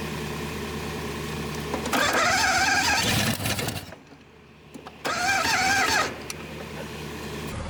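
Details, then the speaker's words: 1962 Dodge 100, first start in 25 years, throttle return spring broken: uneven cranking bursts with sharp pops backfiring through the carburetor, catching briefly; owner suspects a stuck-open intake valve. "popping through the carburetor so much, I'm sure there's an intake valve stuck on it."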